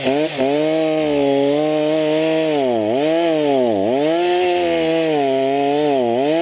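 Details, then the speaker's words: Stihl MS290 chainsaw after repair (it had smoked heavily and then would not start), fitted with a new Oregon bar and fresh bar oil, during test cuts: steady high two-stroke scream that bogs briefly and recovers under each cut; running properly, slight smoke will fade. "it's all good now it will smoke a little bit like this guys after you use it but that will eventually go away"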